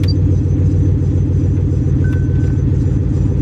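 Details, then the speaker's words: Buick LaCrosse Super just started, with every warning light on: a heavy, choppy low rumble at idle, roughly three beats a second, with no steady rhythm. The owner believes it needs a harmonic balancer; not confirmed. "listen to this i believe it needed a harmonic balancer"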